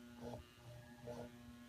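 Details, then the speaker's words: Household fan taken apart: with power on, the motor gives a steady electrical hum but the shaft won't turn because it is very stiff, even by hand. On high it spins but still catches. "so if I turn on the motor you can hear it actually humming this car's dri by it just the right time but you can see that the shaft just isn't spinning at"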